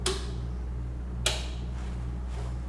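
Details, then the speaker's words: Parweld XTM 211DI multi-process inverter welder, switching process modes via panel (AC, MMA, DC): two crisp single clicks about a second apart over low hum; internal relay changing over normally. "MMA. So we've got the option there, AC, MMA or DC. You can hear it clicking over between the two."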